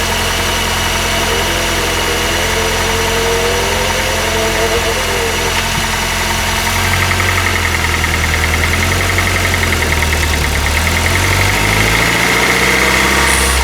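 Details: Honda R20A3 petrol engine at cold idle, mic in engine bay: dull, light knock riding steadily over the running note, suspected piston slap; louder in colder weather, disappears after a few minutes of running.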